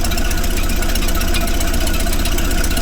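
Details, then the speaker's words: 1931 Plymouth idling after new plugs, gear oil and front brake work; steady low even beat of about four pulses a second, no knocks or misses, fired right up, running good, no leaks seen; normal idle. "There you have it. Fired right up and running good. I don't see any leaks."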